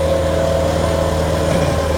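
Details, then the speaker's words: Helical pile installation for house addition: 3-inch galvanized steel pile, 15-ton capacity, torqued into weak soil, about 2,500 ft-lb target; steady low hydraulic drone, constant mid tone under steady load while achieving resistance. "As you can see, the torque is driving the pile into the ground where it's achieving resistance."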